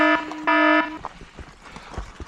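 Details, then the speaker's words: Senada Saber Pro e-bike: two loud steady electronic beeps, second longer, then trail noise; the motor warning it is overworked and needs rest. "And there we go. That's the sound of the motor telling you it needs"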